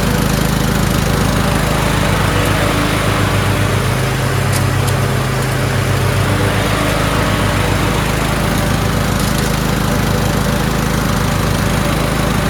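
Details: Toro Wheelhorse 1438HXL with repowered 17.5 hp engine, after mower deck belt and pulley replacement: steady low engine pulse at even speed with deck turning, no slipping squeal or clatter; everything works. Normal running.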